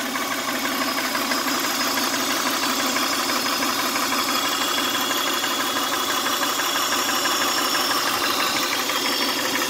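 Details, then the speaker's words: 1999 Honda Odyssey at idle with a steady airy hiss over the engine and no clear knocking; owner suspects a vacuum leak underneath the intake manifold, unconfirmed. "Sounds like an air leak somewhere right here."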